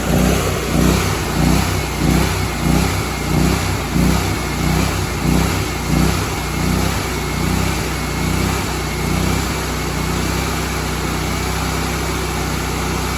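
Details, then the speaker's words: Honda GX630 after camshaft and governor rebuild, no load, running slightly high about 3750 rpm; speed surges up and down about every two-thirds of a second, typical governor hunting with new governor parts. "This is pretty much properly adjusted engine, so it just really hasn't changed. You hear that hunting?"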